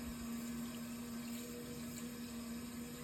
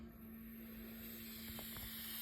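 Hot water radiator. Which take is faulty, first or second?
second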